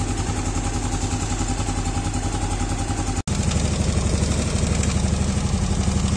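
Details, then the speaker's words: Yamaha Aerox scooter after valve clearance adjustment, rocker arms found fine: steady, even putter with a quick regular beat, no ticking clatter left; normal idle. "Di adem dong. Alhamdulillah ya guys. Ternyata permasalahannya itu hanya di settingan klep ya guys."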